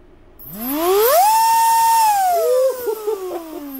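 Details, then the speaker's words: Racerstar 2835 4000kv outrunner with a ZTW Shark 40A ESC, now run on 4S for the first time. The whine climbs quickly to a steady high pitch and winds down smoothly; healthy motor, normal high-rpm run. "oh that rigger's gonna fly with this motor now oh that's the first time i've heard it on 4s"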